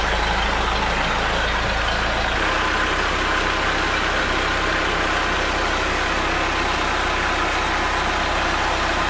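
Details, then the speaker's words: Mercruiser 3.0 boat engine after replacing the noisy water pump: steady, even idle under water and exhaust hiss, no squeak or chirp, no leaks, noise gone; normal idle. "all right as you can see no leaks no more noise and the engine is running great so far"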